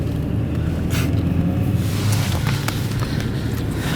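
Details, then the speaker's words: BMW 335i sedan on a test drive, running straight on the battery: only a low, even rumble with no ticks, knocks or whine; smooth and quiet, overheating, smoke and misfire claims not yet checked. "far real smooth and quiet doesn't seem like anything crazy"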